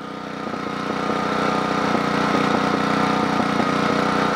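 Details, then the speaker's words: Generac model 8838-0 generator, plug clean, choke about three-quarters closed: uneven pulse, engine speed and voltage swinging up and down, earlier popping; surging, cause not pinned down. "but the voltage is all over the place in other words the RPM is up and down up and down up and down"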